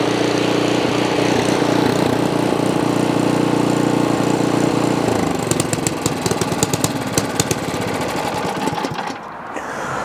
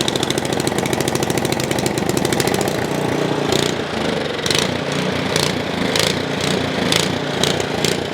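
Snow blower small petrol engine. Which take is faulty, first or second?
second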